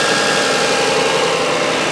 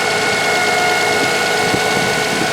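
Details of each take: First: Toyota Highlander after replacing the alternator with a bad bearing and fitting a new belt: steady even idle hum with a faint constant whine, no squeal, chirp or belt slip on start; charging normally, no alternator light. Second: Toyota Highlander alternator with a failing bearing, suspected caused by the belt used: steady high whine over the idling engine, engine started by remote start with hood open.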